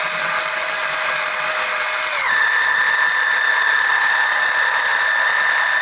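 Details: Electric oil transfer pump extracting oil during an oil change on an OMC 140 boat engine: steady whine that steps up in pitch about two seconds in as the load changes; the pump runs normally.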